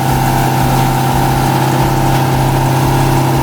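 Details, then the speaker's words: Lexus IS200 with swapped 1UZ V8 on ECU Master ECU, just after first start, ignition timing still to be set (33 degrees), small exhaust manifold leak suspected: lumpy uneven idle with faint ticking puff over the rumble; rough idle. "Bon, là, il va falloir qu'on règle l'allumage. 33 degrés. Il y a 33 degrés à ajuster."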